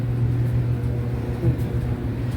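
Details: Whirlpool Cabrio dryer after replacing the W10547292 idler pulley that had been squealing loudly: steady low drum rumble with even hum, no squeal or chirp; normal running.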